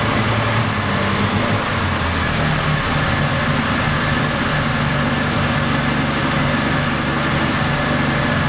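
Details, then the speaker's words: 1970 Triumph TR6 at first start after restoration: loud, lumpy, uneven idle; hard to start and runs rough; cam timing is uncertain (set with valves equally open, no spec), choke cable not connected. "but exactly as before it's hard to start once it starts it runs not very smooth but at least runs"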